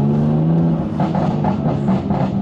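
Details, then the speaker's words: Repaired BMW M2 Competition on its first road test: on the overrun revs drop, then a string of sharp pops and crackles, roughly four a second, produced by the engine map; exhaust pops from the tune, judged excessive. "and there we go straight away asbo pops not a fan if I'm honest but for the for the purpose of this video I'll leave them on they're a bit too bit too much"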